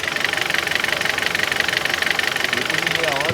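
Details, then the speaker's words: 2014 Kia Cerato at idle: sharp, even tick about three per second over steady idle; knock worst when cold, fading after half an hour running but never fully gone, cause unknown. "gente, depois de meia hora dele funcionando, ele vai baixando, vai baixando a zoada vai baixando, vai baixando. Não fica 100%, mas baixa."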